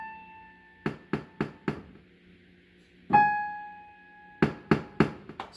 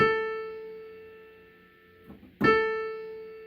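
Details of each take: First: Casio PX-850 digital piano: the A5 (and Ab5) note rings with sharp pops, about four per strike, louder when hit harder and mainly from the left speaker; the fault moves with octave shift, so it is the processor's synthesis, not the key. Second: Casio PX-850 digital piano after octave shift, A4 played in A5's spot: note rings out cleanly twice and decays smoothly with no popping. Popping on A5 follows the octave shift, so a synthesis/processor fault is blamed, not the key.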